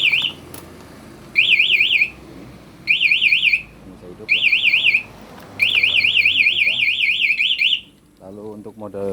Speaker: ketika dibobol dia akan bunyi